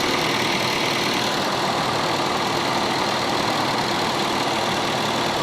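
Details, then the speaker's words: Honda City after rebuilding the electric radiator fan motors, which were weak and let engine temperature run high: engine idling with A/C on, strong steady whoosh from both fans working hard; normal radiator fan operation. "ก็กลับมาเย็นเหมือนเดิมแล้วนะครับทำงานทั้ง2ตัวนะครับแรงเลยนะครับ"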